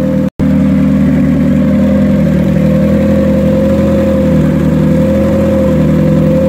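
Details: Turbo Hyundai Tiburon after work, with a Beta head that sounds much quieter than the Beta 1. Smooth, even idle with a steady hum and no knocks, ticks or hunting; any smoke would probably be from the turbo. Healthy.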